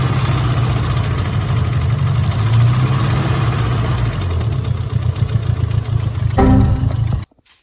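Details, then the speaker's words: Evo 4 with 4G63T engine: four-cylinder idles unevenly with loud, busy top-end clatter; plug change fixed a big misfire but idle still bad, so cylinder head removed. "So obviously, yeah, it doesn't sound ideal. And I changed the plugs, which fixed a big misfire."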